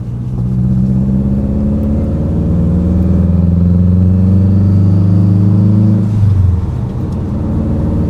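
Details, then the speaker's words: Fully built Subaru WRX after the exhaust-cam timing fix, logged pull through first to fourth gear staying out of boost: a smooth engine note climbing steadily, with a blow-off valve whoosh on the shift. Acceleration sounds normal and healthy. "This thing sounds so good with the tile BOV on it. Dude, I can't believe I built this."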